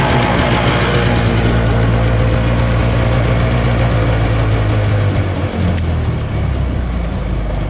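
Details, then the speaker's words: Cold start of a 50 HP Evinrude/Johnson outboard after a tune-up. A deep, even idle rumble with a steady beat and no misses returns smoothly to idle; the motor sounds like it is running well. "I love how it returns back to that Idol guys and so me shut that off all right so that was a cold start to me it sounds like that's running pretty good"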